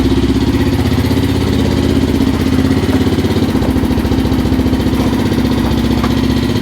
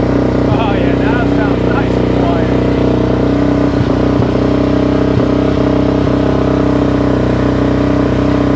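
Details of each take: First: 2005 Suzuki LTZ 400 single at idle after head and valve guide work: loud, quick, even top-end ticking over exhaust pulse; valve clatter from zero valve clearance, tight exhaust valve with lost shim. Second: Suzuki LTZ 400 ATV (2004 or 2005), restarted after repairing major valve-train damage from a failed valve-guide job by another shop, with idle turned up and a little choke. Steady, even single-cylinder idle with no top-end tapping: normal idle.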